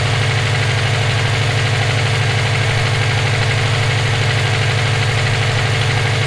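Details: EJ257 at idle: a sharp, regular knock about three per second rides over the steady idle, present for about 17k miles since purchase; owner suspects rod knock, a spun bearing or valve lash. Source unconfirmed.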